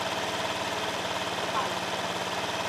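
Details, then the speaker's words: Honda Vario carburettor scooter that runs rough, uses too much fuel and surges, after spark plug and plug cap replacement: steady, even idle sitting noticeably fast and never settling; idle speed set too high, needs lowering. "ini sudah meninggi loh meninggi saya harus menurunkan"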